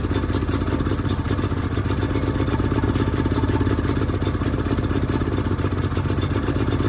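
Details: Found Onan RV generator running after priming: a steady, busy clatter of about four pulses a second with an unsteady beat, never settling; the automatic choke isn't pulling off and the carburetor isn't acting right, so the carburetor is being cleaned out.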